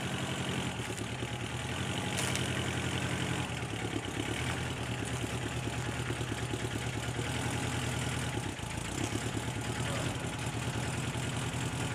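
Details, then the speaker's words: Subaru Brat after engine install and intake manifold repair, on its first drive: light, quick tick riding steadily on the idle and keeping pace with engine speed; one noisy hydraulic lifter remaining. "oh still got a noisy lifter yeah i can fix it"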